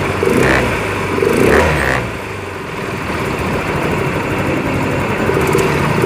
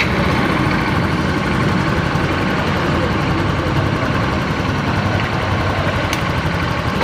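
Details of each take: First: Yamaha Mio Fino 125 FI scooter after repair of a rough ticking ("klitik") noise; settles into a smooth, even idle after a few blips, no ticking or clatter; runs clean. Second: Yamaha Mio Fino 125 FI scooter after engine disassembly: rough, uneven idle with a dry ticking ("klitik") buried in the engine clatter; mechanic suspects missing or faulty spare parts.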